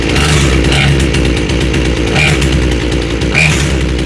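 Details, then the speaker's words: Small chainsaw with a freshly rebuilt carb while the high-speed screw, farthest from the engine, is adjusted by ear: it screams at full throttle but the revs waver and sound blubbery rather than crisp; the high-speed mixture is still off. "And then if you rev it up, you heard how bad that sounded revving up. Back the high screw in or out, and just keep trying it."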